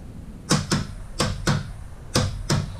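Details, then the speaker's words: 2005 Arctic Cat 400 4x4 FIS ATV, new starter relay/solenoid bench-tested after old rusty one failed to click: crisp clean clicks in pairs about once a second in a quiet room; relay switching normally, good. "See? Hear it click. We'll reverse it. And again, you can hear it click. So, we got us a good relay."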